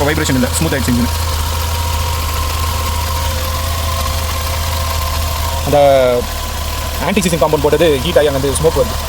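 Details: Aging car engine after repair (oxygen sensor removed and refitted with anti-seize, carbon cleaner spray, copper washer): low, even idle holding steady with no shake, miss or knock; vibration problem solved, smooth idle.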